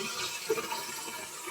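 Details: Soft steady hiss and trickle of water refilling the cistern after its fill valve diaphragm was replaced, filling faster now, no squeal or hammering; normal cistern filling.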